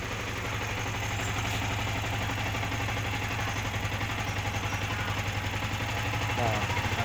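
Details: Yamaha R15 single-cylinder idles with a steady, even, unhurried beat and no misfire or stumble after a new part was plugged in for its stuttering problem; charging current now peaks at 14 instead of the earlier 17–18.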